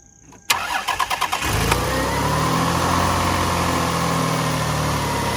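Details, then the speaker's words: 2001 Lexus ES300 first start after replacing a whining alternator: quick cranking, clean catch, smooth even idle with no whine, much quieter; normal start and idle. "Much quieter."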